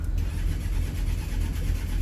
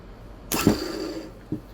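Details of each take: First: Boat's Westerbeke diesel generator: briefly fires with low rough rumble, then quits and only clicks; battery replaced and good, owner suspects starter or switch. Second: Boat's Westerbeke generator that only clicked: starter motor energised directly gives a short whirring spin that winds up and coasts down, smooth with no grinding; starter healthy.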